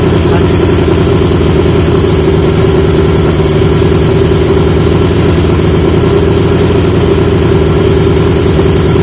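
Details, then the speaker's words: 1980 Yamaha XJ650 four-cylinder at steady idle after fitting new (old) exhaust pipes; smooth, deep, full burble with no ticks or rattles; much better, healthy running. "listen to that that doesn't sound like it's he's a should be living on a Speedway now that is so much better"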